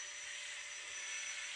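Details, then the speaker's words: Homemade electric whip at full throttle: high gritty rasping whir from the electric motor, owner suspects worn, dead bearings inside the motor. "that motor you can hear them bearings some hints dead inside that"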